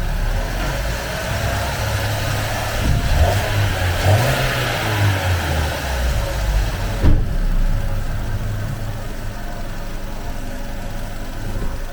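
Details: Vauxhall petrol engine, just restarted after fitting a replacement secondhand valve for a lean P0171 fault, blips up briefly then settles into a steady, even idle with no misfire or hunting; normal idle.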